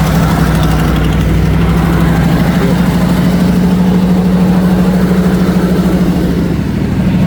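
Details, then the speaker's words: 1990 Ford F250 V8 idling on a cold day: loud deep idle with a rough puffing edge from a crack in the exhaust leaking gas. "I'll show you the exhaust leak real quick and yes the cruise control works the light doesn't work but cruise control works let me put on this okay you can hear the crack in the exhaust"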